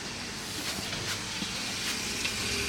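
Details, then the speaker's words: Open-vented central heating system with 17 radiators during a powerflush, radiators heating up: steady airy hiss with soft trickling surges as leftover air in the pipes circulates freely. "You can still hear air in the system, but it's moving, which is great. That's what we want."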